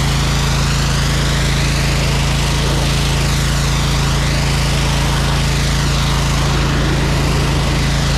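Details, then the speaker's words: Electric-start small engine on a jetter trailer, choked and running: loud steady drone holding an even beat with no misses or knocks; a healthy engine. "Thing sounds good, man."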